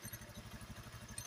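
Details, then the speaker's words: Honda Beat eSP scooter CVT after replacing the worn roller housing (rumah roller) that had made the CVT very noisy: now an even low pulsing beat with no rattle or grind from the belt drive, running smooth again. "oke sekarang sudah berhasil sudah halus kembali suaranya Lur ya jadi kendalanya cuman ada di sini Lur ya"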